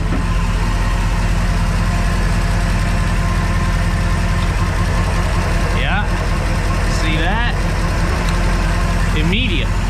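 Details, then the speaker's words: Crusader engine after injectors were rebuilt and tested and rails cleaned, in gear: a steady low drone that sags immediately when the number seven or eight injector is unplugged. All cylinders are firing normally. "yeah an immediate drop so now we've got an immediate drop for both cylinders so both cylinders are working how they should"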